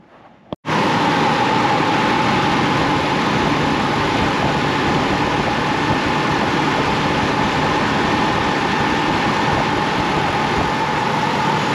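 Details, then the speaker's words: Chevy Colorado i5 engine after replacing a stretched, weather-cracked serpentine belt that jumped on the tensioner when cold: engine settles into a smooth, even idle with no squeal or chirp; noise gone. "thank you as you can see that took care of the noise"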